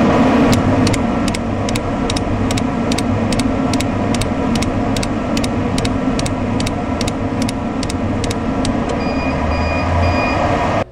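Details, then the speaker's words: RuiDa RDC644X laser controller set to laser-on blow mode, mic beside the air-assist pneumatic solenoid during engraving: sharp clicks two or three a second over fan hum as the solenoid switches on and off with every laser line. "so each line is the lasers firing it clicks on and it clicks off again at the end of that line and then it starts the process all over again so you'll hear repeated click click click click"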